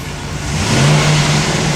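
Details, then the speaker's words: 2007 Chevy 2500HD with drive-by-wire throttle, after wiring harness repair for the reduced engine power warning and P1516 code: engine revs cleanly and holds steady with no stumble or hesitation; normal throttle response. "We We good throttle response. The throttle pedal is responding to inputs."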